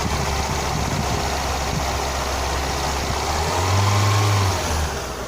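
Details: Lada Kalina 2 petrol engine, hot at about 90°C, held above idle under load. A light, regular ticking grows louder with throttle and fades off throttle, and is absent when cold. The owner first suspected a hydraulic lifter; the cause proved to be the alternator belt, which was replaced.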